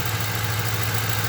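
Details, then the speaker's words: 2008 Ford Crown Victoria V8 at idle; unplugging cylinder one ignition coil changes nothing, steady low idle with uneven lope underneath, suspected no power reaching cylinder one coil: dead cylinder misfire. "see there's no change in the idle i don't know what's going on with this car"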